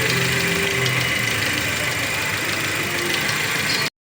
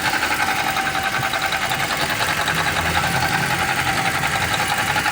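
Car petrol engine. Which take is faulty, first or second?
second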